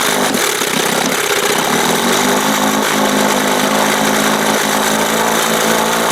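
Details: 1971 Johnson 20 hp two-stroke outboard after carb swap, leak cured by red retainer: fast, steady, even high-pitched idle buzz; idle too high because throttle linkage opens before the two cam marks and needs readjusting.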